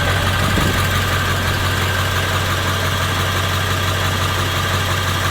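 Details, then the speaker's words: International diesel engine (same as the 7.3) idling in cold weather, running on waste veggie oil, motor oil and transmission fluid: steady, even low rumble with no knocks or misses, running normally, noticeably quieter, slight blue smoke. "Fires just like it normally would. Runs just like it normally would. The engine is noticeably quieter."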